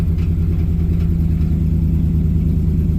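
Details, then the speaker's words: 2007 Dodge Ram 1500 HEMI V8 idling with a deep rumble and uneven stumbling pulse; a backfire occurred, the check engine light is blinking, and code P0300 random misfire is set, along with P0032 and P0118. "P0300 is random misfires, which we did hear that, so it's 1 of 6 there."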